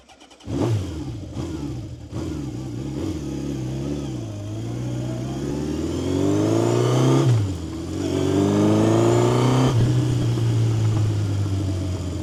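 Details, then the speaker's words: 1970 Honda CB750 K0 four-cylinder, fully rebuilt engine with 2,000 km since: raspy note blips cleanly up and drops back smoothly each time, pitch tracking the throttle; normal running and revving. "Uh top condition and the sound of a K0 is really really nice and rough. So, let's hear it. Oh."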